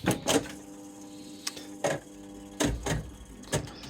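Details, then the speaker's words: Machine after solenoid replacement: crisp separate clunks of the stepping mechanism over a faint hum, no buzz or vibration; old solenoid's loose parts had caused a vibration noise. "It used to have to hold reel one to have a nice quiet spin, but now it's uh back to full working order."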